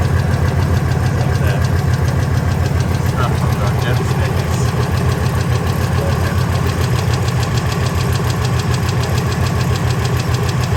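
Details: Ford F250 V10 at idle after header and injector install: fast even tick over steady idle, considerably quieter than before; owner suspects a lash adjuster/lifter or rocker arm problem, unconfirmed.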